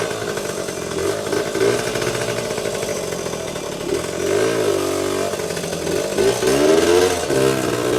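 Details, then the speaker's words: Vintage 1977–1979 Yamaha GT80 Enduro two-stroke, unstarted for a while, full tank, oil recently changed, on choke: starts quickly, crisp buzzy note revving freely and settling evenly with no misses, little smoke; normal running. "Didn't take long to start, and yeah, these old two-strokes, man, just start right up."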